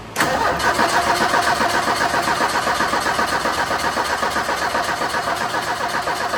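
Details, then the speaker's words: 1984 Ford Mustang SVO, turbo four-cylinder, 5-speed manual: steady even cranking that never fires. No start because no fuel reaches the front, even after a replaced external fuel pump. "Still haven't figured out why this thing isn't running. You guys have seen that we've tried to run a test with the fuel system. We're not receiving any fuel to the front."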